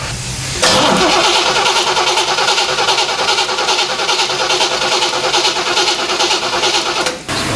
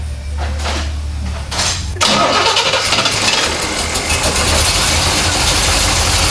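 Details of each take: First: 1970 Chevrolet Corvette C3 after poorly done upgrades, won't start: starter cranks evenly and fast but never fires; no spark seen while cranking, only 9 V instead of 12 V while cranking, suspected ignition power supply fault. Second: 1970 Chevrolet Corvette C3, old fuel in tank, fuel pressure around 7–8 psi: cranks about two seconds, fires and settles into steady even idle with no misses or knocks; burning smells noted; healthy start.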